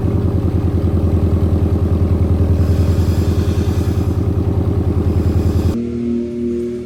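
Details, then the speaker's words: Scion FR-S with CNT catless header, Tanabe catless front pipe, newly installed Tomei overpipe and Tsudo exhaust, idling on first start after install: metallic clatter on each pulse, about three per second; loose exhaust fastener needs tightening. "So a couple things I found. I'm rattling really bad right here, so I just got to tighten that down on"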